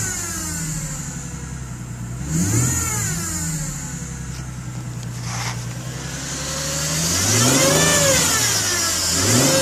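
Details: 2010 Ford Mustang V6, cold engine after sitting many hours; light metallic ticking that speeds up and gets louder with each throttle blip and fades as the engine warms, owner suspects lifters, unconfirmed.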